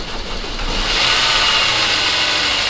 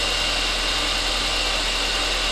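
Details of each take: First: Saab 9-5 Aero first start after sitting a few years, after oil change and new battery, cold: engine catches and runs with fast, light, even ticking over bright idle; tiny bit of valve train noise at first, quieting as it warms. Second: Saab 9-5 Aero, restarted after sitting a few years, fresh oil change and new battery: steady, even warm-up idle with a smooth hum and slight valve train chatter at first that quiets down; normal warm-up idle.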